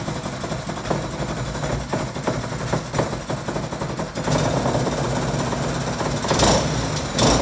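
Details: Harbor Freight Predator 212cc single-cylinder swapped onto a water pump, first start attempt with choke on and throttle slightly open. Repeated pull-start chuffs, then it fires and settles into a steady, even run; healthy first start before break-in.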